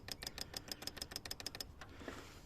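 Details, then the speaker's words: Toyota 1KZ-TE spill control valve, removed and pulsed repeatedly with straight 12 V to free it up: about eleven crisp, evenly spaced clicks, roughly seven a second, as the solenoid snaps open and shut. "um so say if it's only getting 10 volt and that after a while it just gets a bit sticky it's not being yeah you can imagine what might be happening in there so if I just give it a straight 12 volt lots of times to free it up"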